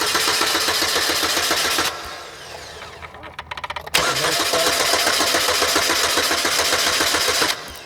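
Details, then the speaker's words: Pontiac Sunfire with a no-start problem: two bursts of fast, even cranking at about four beats a second with no firing. Fuel reaches the cylinders and compression is good, so an electrical fault is suspected. "so it's got a no start problem but as you can see there is fuel going to the cylinders"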